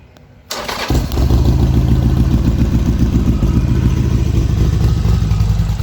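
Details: Harley-Davidson XR1200 after primary chain tensioner replacement, chain set to half-inch slack; engine settles into an even loping idle with normal top-end rattle and no more grinding from the primary; fixed.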